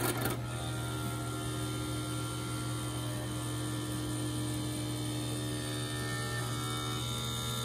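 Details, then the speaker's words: 1985 Shintom VP-5000 portable VHS player on playback: steady whirring drone with a low hum and rattly mechanical undertone; tape counter belt was already broken, and a belt is suspected broken or looped around itself. "well we all know what that horrible sound means the belt is broke or probably looped around itself in there"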